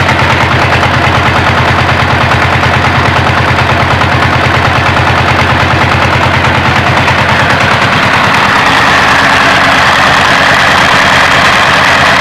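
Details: Single-cylinder diesel idling unloaded before rice-husk grinding: loud steady thump with a sharp puffing chuff at the air filter. Broken inner intake and exhaust valve springs can't close the valves, so intake air leaks. Heavy exhaust smoke also suggests worn piston rings and low compression.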